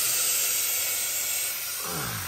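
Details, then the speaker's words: Ford 6.0 diesel, hot crank-no-start, engine off, shop air tester on high-pressure oil rail: steady high hiss of escaping air, heard more on driver's side than via crankcase vent; leak suspected there, source not yet confirmed. "So you hear it more out of here. Of course, you know you got some restriction with the crankcase vent compared to this side being a straight shot, but you still hear it more over here."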